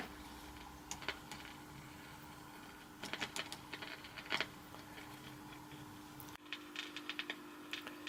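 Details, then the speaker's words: Vintage French TSF valve radio, first power-up: rectifier valve warming toward expected 200-300 V; scattered dry crackles and pops over low steady hum, source of crackling unknown. "Normalement on devrait atteindre vers les 200-300 volts. Voilà, ça y est, on entend que ça crépite un peu."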